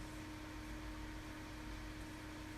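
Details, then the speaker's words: Overclocked i5-7600K at 4.8 GHz and 1.28 V on a Cooler Master TX3 air cooler during benchmarking: the CPU fan runs flat out with a steady loud whooshing roar and constant low hum under heavy load. "my CPU fan is absolutely going nuts, and as you can see, I'm running at 4.8 gigahertz at 1.28 volts."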